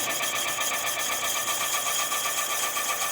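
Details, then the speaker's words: Honda CB400 engine cylinder boring (rebore to 0.75 oversize, 71.25 mm) after the engine ingested sand; steady, even high-pitched cutting hiss with light regular chatter, no squeal, only cast-iron dust: normal, clean boring cut. "Barulhinho tá indo bem, né? Muito bem, só poeirinha de pó de ferro fundido."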